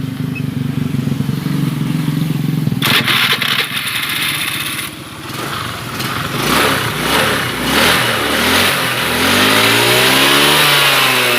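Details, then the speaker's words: Honda Beat FI 110 after setting valve clearance to about 0.5 from too tight: fires up, blips and settles into a steady idle without dying when the throttle is released. Stalling fixed. "ya ternyata sudah tidak matian lagi berarti memang benar ya masalahnya itu karena setelan klep yang terlalu rapat"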